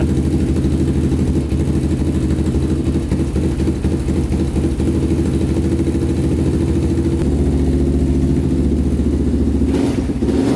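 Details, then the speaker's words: 1999 Honda 400ex carbureted single, baseline before turbo install, cold at about -16 degrees, on choke: steady, slightly fast, even thumping idle while warming up; running smoothly. "running pretty good let this thing warm up and then we'll uh start digging into it but this is the baseline for how it sounds and how it runs"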